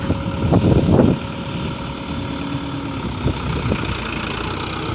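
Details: John Deere 5725 Turbo tractor after repair, steady low idle with no grinding or scraping. The earlier strange transmission noise came from a damaged brake disc with broken pieces, now fixed. Normal running.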